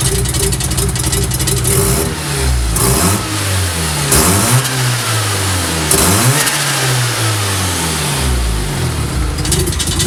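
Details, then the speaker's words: 1988 Mazda RX-7 (S4 chassis) with J-spec S5 Turbo II 13B, stock ports, 84-trim ball-bearing turbo, MegaSquirt, E85; revved in sweeps while warming below thermostat opening (water 151°F), faint flutter as revs drop: early turbo compressor surge. "can start to hear a little bit of compressor surge but"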